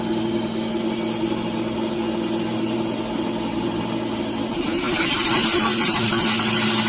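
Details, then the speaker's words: Old boring bar on its fifth cut, boring a 1950 Dodge flathead block for a cylinder sleeve install: steady motor hum, then after four seconds a bright hissing scrape as the cutter bites; cutting normally. "There you go. She's cutting."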